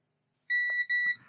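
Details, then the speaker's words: Lloytron AM/FM radio that only runs on mains power, component desoldered and the board pads tested in continuity mode: two clear high beeps, each about a quarter second, in a quiet room, so the short is on the pads, not the removed part. "Oh. I don't think that's faulty. The short is on the pads, so what is causing that?"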